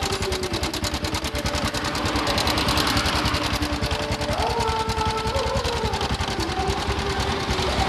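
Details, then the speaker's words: Honda Supra X 125 with a rough noise at the front of the engine: quick, light metallic clatter over a steady idle. After tightening the cam chain tensioner adjuster bolt and revving, the noise remains; a slack cam chain is suspected. "Ini kayak suara kamrat teman-teman ya. Ini udah saya putar. tapi suaranya masih ada, masih bunyi. Ini kayak suara kamrat."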